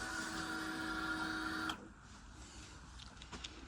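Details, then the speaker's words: 2011 Honda XL700V Transalp after soldering three snapped wires at the melted stator-to-regulator/rectifier connector: at key-on a steady high hum under two seconds cuts off cleanly, a normal fuel pump prime, and the FI light goes out. "You heard the fuel pump probably. FI light goes out, his light goes off. Everything's happy."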